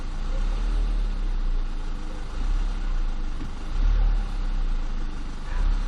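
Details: VW 1.8T AVJ engine, warm idle between 800-1200 rpm: low uneven rattle swelling in louder stretches, coming from behind the engine; cam chain tensioner or oil pump suspected, origin unknown.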